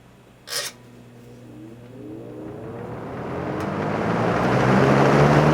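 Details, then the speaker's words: Vintage fan with a Lasco plastic motor housing, rebuilt after binding, misaligned motor bearings and old grease were fixed: a click, then a smooth whir climbing steadily in pitch as it spins up, no scraping or binding; normal startup. "so but nonetheless giving the plastic motor housing and everything and these fans it has a really good startup sound"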